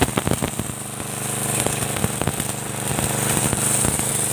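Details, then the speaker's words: Motorbike-wash pressure washer after spare-part replacement to fix weak spray: a steady engine drone under a loud, forceful hiss of water hitting the floor. The pump delivers strong, even pressure, many times stronger than before. "bisa dilihat guys ya kekuatannya guys Ya lumayan ya Meri guys ya kuat sekali searang kita semprot ke lantai guys"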